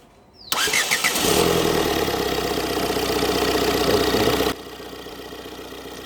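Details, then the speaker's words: 2006 Ford Fiesta with starting problem, after wiring kit change and clearing coolant temp, IAT and MAF sensor codes: brief crank, clean catch, then smooth steady idle with no misses or knocks; starts and runs normally. "നമ്മൾ വണ്ടി start ചെയ്തിരിക്കുകയാണ്."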